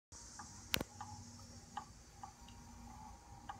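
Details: Celestron Advanced VX telescope mount, balanced, about 20 lb payload: sharp irregular clicks or knocks roughly two a second over motor hiss while slewing, fading once it settles; clutch adjustment makes no difference.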